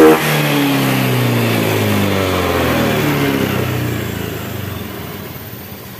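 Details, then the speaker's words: Honda Beat ESP scooter after repair of a CKP (crankshaft position sensor) error that caused MIL code 52 and intermittent stalling: crisp rev climbing then falling smoothly, steady even firing with no misses or stumbles; normal revving. "Pas saya hidupkan hidup cuma kadang mati Kadang hidup dan ini sudah normal kembali setelah saya tangani Ternyata ada yang error di ckp"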